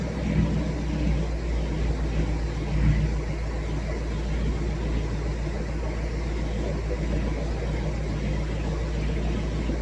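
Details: Dodge Challenger RT 5.7 V8 cold start after a BBK long-tube header install, with a check engine light on from the active exhaust actuator: a deep, steady idle rumble, even firing, no knocks, misses or hunting. Normal idle.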